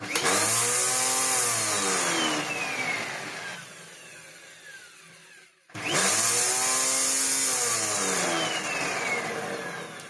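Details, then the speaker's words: Dyson DC01 upright vacuum after repair and new parts: harsh, high whirring rattle over the motor run-up that eases once the machine is laid down; noise comes from the brush roll, noisy brush roll. "Well, that noise wasn't anything untoward. Well, it is, but it was nothing a problem. It's the flipping brush roll. It gets better when you flop the machine down. But it makes that noise."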